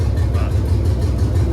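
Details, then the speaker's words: C3500HD V8, two cylinders not firing despite coil pack swap, injectors suspected gummed up; deep idle lumps unevenly, stumbling every few pulses, more responsive than before, good oil pressure: engine misfire. "you can hell tell it's got a hell of a misfire, but it's very a lot more responsive than than it was."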